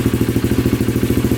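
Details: Polaris Predator 500 single-cylinder quad running on a battery swapped from a 400EX: quick, even idle putter with evenly spaced pulses and no clatter between them; normal idle.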